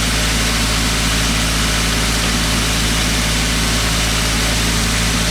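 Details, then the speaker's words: Toyota Avanza EFI engine, complaint of unstable idle, sometimes high, sometimes low; scanner reads over 1000 rpm versus about 900 rpm standard. Steady, even drone noticeably faster than normal idle: idle speed too high, before repair. "Ya, kondisi putaran stasionernya ini terlalu tinggi. Kalau standarnya stasionernya itu sekitar 900 rpm, tapi ini 1000 rpm lebih."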